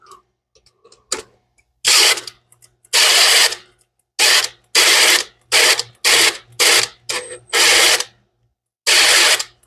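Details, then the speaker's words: Big block Foxbody Mustang (83 GT) before first start, priming oil pump with cordless drill on big battery: drill whirs in short bursts, bogging and cutting out as pressure builds to about 40–50 psi on gauge; normal oil pump priming. "well what making my drill cut off must be making some PSIs even with the big battery okay think it's probably primed"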